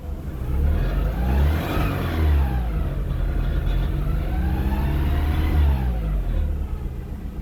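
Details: VW Mk4 1.6 SR petrol engine revving up and down with a dull low thumping under the note that follows revs; owner asks whether it is a bearing knock, engine knock present, cause unconfirmed.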